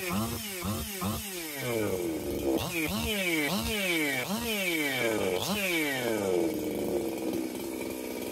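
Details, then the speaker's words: Husqvarna 262XP chainsaw, first test runs after porting and machine work, muffler mod, carb kit, new pump cover, plug, fuel line and filter: crisp repeated revs dropping back cleanly, then a steady high scream; normal running. "This will run happily with an air filter and a top cover and cut firewood all day long"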